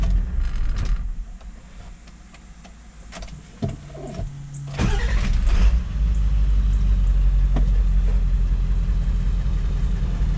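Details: Ford 7.3 Powerstroke diesel with a hot no-start complaint, after replacing the bent injection pressure regulator valve: started hot after about 10 miles at full temperature, brief cranking, then catches quickly into a steady, even idle with no stumble.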